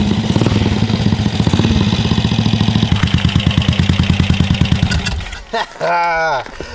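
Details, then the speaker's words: Vintage BSA 441 Victor single, started after clearing a rich-running cylinder, no choke and very little throttle: thump settling to about ten firm, even beats a second before cutting off; running properly. "You guys, we did it again. One of these days, one of these bikes is gonna beat us, but not today. We got another old British bike running, and that is one of the best feelings ever."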